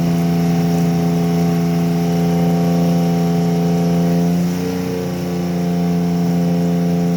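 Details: Carbureted Chevy Lumina 3100 derby car with a small vacuum leak: uneven, loping idle with a brief rev; misfire traced to a bad coil pack.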